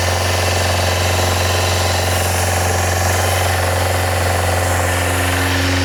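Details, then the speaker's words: Yamaha FZR400 four-cylinder after a carburetor rebuild kit, a new number 4 carb, a new battery and a little fuel: a smooth, even idle with a steady low hum and no knocks or misfires. It sounds healthy until the fuel runs out. "She sounds healthy. That'd be the end of the little bit of fuel."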